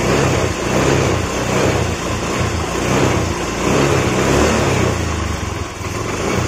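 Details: Yamaha Mio Z scooter after soldered wiring repair cleared MIL code 37 (3 long, 7 short blinks), throttle blipped: runs steadily with gentle rev swells and no misses or knocks; healthy, smooth running.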